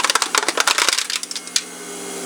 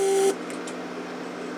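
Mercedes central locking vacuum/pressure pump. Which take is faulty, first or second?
second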